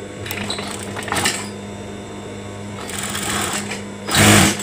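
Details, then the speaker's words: Newly assembled lockstitch sewing machine, test stitching a single fabric layer: short bursts of quick even stitching chatter starting and stopping cleanly, no knocking or grinding; normal sewing. "Oke, saatnya kita tes jahit ya. Kita tes jahit, ini ada bahan."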